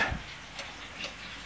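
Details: Cuckoo clock after bellows and whistle repair, weights refitted: crisp, even ticks about every half second in a quiet room, steady rhythm; the movement runs normally.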